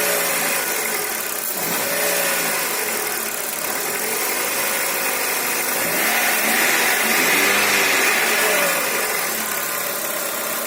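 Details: Corsa engine running with a repeating noise about three times a second that rises and falls with revs; the owner does not know the cause.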